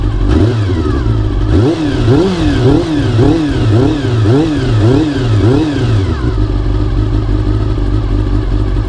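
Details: Honda CBR400RR (NC29) after its noisy fuel pump was replaced with a CBR600F fuel pump: crisp repeated throttle blips rise and fall cleanly over a steady idle, with no pump whine or stumble.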